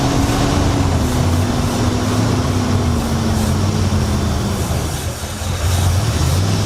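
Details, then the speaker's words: 1966 Mercury Montclair, still very cold, just fitted with a replacement Amazon carburetor: runs steadily, with a low note drifting down as it settles. Idle mixture screw still needs adjusting. "I think we need to mess with the mixture screw idle, but it's also still really cold."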